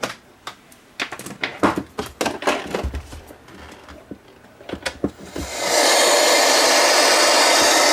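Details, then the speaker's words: IXT DVD/TV/radio/karaoke unit, apparently brand new but not playing discs, in TV mode: after handling clicks a steady loud white-noise hiss holds evenly; TV tuner works, no station. "The TV works, makes noise. Volume. Okay, let's get rid of that noise."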